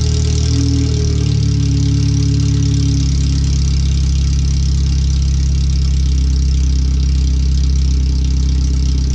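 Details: First startup after a header swap, new fuel filter, relocated O2 sensors and an added wideband; header only, no exhaust. Loud, raw, deep idle with a steady low drone and slightly uneven pulses. The computer reads 5–7% rich.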